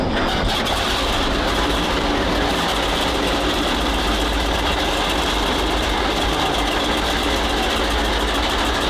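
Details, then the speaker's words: Walker Bulldog tank, flat-six air-cooled aircraft petrol engine with two-speed automatic, recently tuned up after previously being hard to start: catches within a second and settles into a steady, even idle without misses; normal healthy start and idle. "It always used to be a bit of a peak to start, but after we tuned it up the other day, it bursts into life a bit better."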